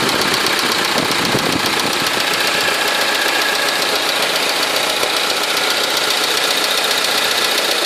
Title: стук в моторе ??? хонда 4d